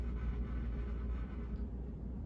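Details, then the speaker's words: 38-inch Fasco Charleston second-generation model 438 ceiling fan, a parts build tested for the first time, on medium speed: low, steady hum with a smooth whoosh, no ticking or rubbing, running normally. "Medium speed's not bad. Got a nice little airflow to it."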